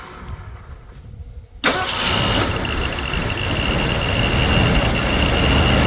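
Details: Ford Thunderbird Town Landau first start after new fuel pump and rebuilt carburetor: quiet, then engine catches first crank and settles into steady even idle; fuel delivery healthy.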